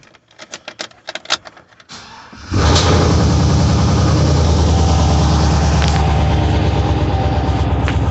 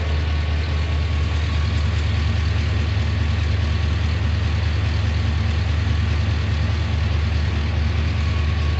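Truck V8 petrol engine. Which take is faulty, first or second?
first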